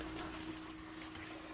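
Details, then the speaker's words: Vintage GE Monitor Top refrigerator running, with the top unit and fins warm and the inside starting to chill: soft watery gurgle and bubbling over a steady low hum, which the owner believes is refrigerant boiling; normal. "the inside part right here it's starting to chill a little bit see you can kind of hear it gurgling i believe that's called boiling"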